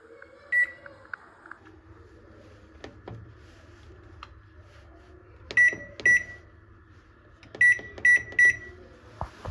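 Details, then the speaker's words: Samsung GW732KD microwave fan after its loose part was tightened: a low, smooth, even hum under beeps and door clicks. The earlier crackling, jamming-like noise is gone. "तो मैंने इसको tight किया, मतलब सही ढंग से आवाज़ दे रही है, स्मूथ है।"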